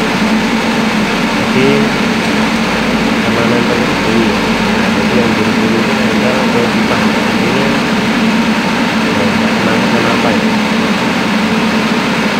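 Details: Main air compressor with replaced after-cooler running: loud steady hum with a faint rough scraping edge as the fan catches its cover because of a loose bolt; noise went away once the bolt was tightened.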